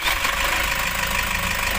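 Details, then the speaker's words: Toyota Hiace 2KD diesel after replacing the alternator clutch pulley: even steady idle clatter with no belt-drive noise; previously noisy with only 12 V charging, now quiet and charging 13 V. "maririnig na natin kung tahimik na ang ating ginawa at pinalitan na alternator pulley"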